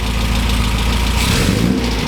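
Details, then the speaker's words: 1967 MGB GT four-cylinder just started after sitting: steady even idle, regular low putter, no knock or misfire; oil pressure low at first then up to 50 psi; running healthy. "Okay, so we've got not a lot of oil pressure at idle, but it is, okay, there we go. All right, so we've got 50 PSI of oil pressure at idle now. It came up."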